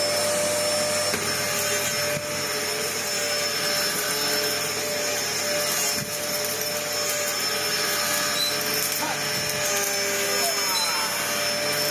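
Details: Dyson DC01 upright vacuum built June 1998, about 25 years old, on its first power-up before servicing: strained, high, steady motor whine with little rush of air. The airflow is completely clogged.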